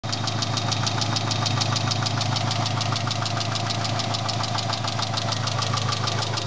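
Crisp, even ticking, roughly three a second, rides clearly over the idle hum; a ticking, knocking noise whose source is unclear.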